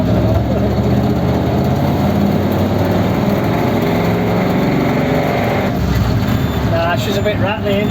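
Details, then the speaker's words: Ford 59A flathead V8 in truck: loud uneven rattle and clatter over rough running; connecting rods of different lengths and one piston hitting the head; needs matched crank, rods and bearings. "Now that's it. This motor's done. It's going to come out. This engine needs a decent crank, some decent rods, all matched and balanced, and decent bearings, none of which it has."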